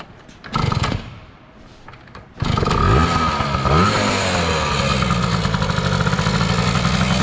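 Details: 2000 Yamaha PW80 two-stroke after replacing a knock-off carb with a genuine Yamaha Mikuni carburetor and oil injection hose, choke off: a couple of kicks, then a steady, crisp buzzing idle with no misfires.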